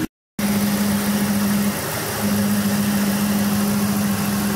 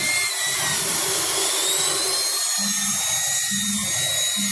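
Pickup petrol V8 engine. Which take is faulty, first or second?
second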